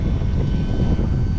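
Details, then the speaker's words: Boat tilt and trim motor after being unjammed by tinkering and tapping; steady low electric drone with an even, unbroken hum. Trim motor now working smoothly. "It's working like a jam, baby. Come look at this. I can hear it. It's working. I just got it unjam."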